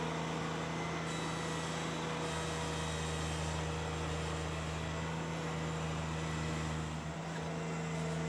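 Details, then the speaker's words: Ventrac 4500 with power rake digging too deep in heavy wet soil with the gauge wheels up: a steady low engine drone with a thin tone strengthening as it bites. The drive belt is slipping under overload; slowing or raising the rake relieves it. "There, that sound is the belt slipping. I'm taking just too deep of a bite in this heavy wet soil."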